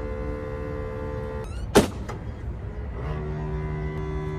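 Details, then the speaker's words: RV electric entry steps stuck out: steady electric buzz, then a sharp clunk, then a lower hum as the worn step motor strains but cannot retract the steps; motor worn out, needs replacement. "The motor's worn out. You hear that buzzing? It's because the motor is no longer strong enough to bring the steps in."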